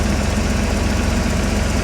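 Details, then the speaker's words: 1986 Nissan 300ZX, hurricane-flooded, back running with a replacement for its stolen computer, idling with the AC compressor engaged and blowing cold air: steady, even idle with a smooth low pulse, no knocks or squeal; normal running. "and it works unbelievable cold air conditioning oh dang man I even uh I even got cold air conditioning Mike oh my cold AC for those hot summer days in Florida look at that air compressor just a"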